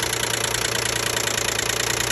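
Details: 2012 Nissan Maxima 3.5 L at idle: fast, even light knocking/tapping, loudest up top near the intake; owner assumes an intake bracket is making the noise, and it quieted once that was removed.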